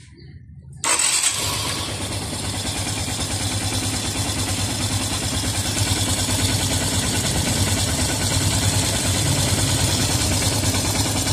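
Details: Yamaha FZS V3 single-cylinder engine idles steady and even with no knocking or rattle after timing chain replacement and timing setting, recorded with the head cover off before refitting.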